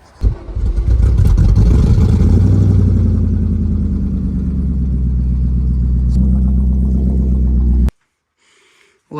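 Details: BMW M60 4.0 V8 running in donor 740iL before swap into E30, fuel pressure 60 psi with return closed; deep, even V8 rumble picking up cleanly with throttle, no tapping or misfire; healthy engine.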